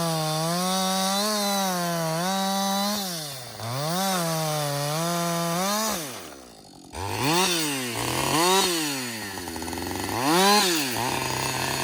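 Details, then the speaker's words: Husqvarna 562XP chainsaw, back from the shop after dealer reflashed its software for dying when hot and stumbling, about two-thirds of a tank in: crisp two-stroke wail bogs slightly into each cut, clears to high revs between cuts; normal under load. "so far it's running great um I've got I'd say about I don't know two-thirds of a tank gone"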